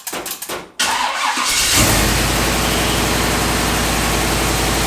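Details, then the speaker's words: Carbureted car with Summit M2008 carburetor after fitting smaller idle feed restrictor to fix rich idle: short crank, catches instantly, settles into steady even idle without hunting; healthy start. "And now it is running crisp. It is awesome. It starts up instantly."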